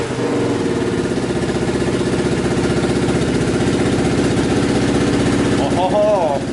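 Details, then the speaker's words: 1980 Honda XL250S barn find, first run in years after a new carburetor was fitted: single-cylinder revs high and holds with a busy, even exhaust beat; runs fine but the throttle is stuck wide open. "i did get it started um with the new carburetor on it so we'll cut to that clip all right guys it should fire up got a new carburetor in it"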